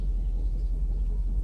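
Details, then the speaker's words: Mercedes S500 V8 at idle during a computer diagnostic, cylinders cut out one by one: with three cylinders switched off, a deep lumpy, uneven shaking beat; diagnostic misfire test. "And number 7, there's gonna be 4 cylinders now. Oh, barely runs."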